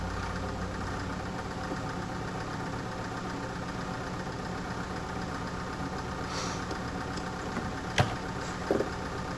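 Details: Medion PC sounding like a diesel engine: soft, loose rhythmic knocking at about one to two beats a second over a quiet hum; something inside the PC knocks.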